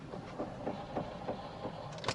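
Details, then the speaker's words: Fiat Panda, rear right wheel: faint regular knocking about three times a second with a scrape when the handbrake is applied, louder than in neutral; worn handbrake cable, needing replacement, makes the rear drum brake stick. "слышите когда отрабатывает ручник прям четко слышно что там что-то скребет и стучать начинает сильнее"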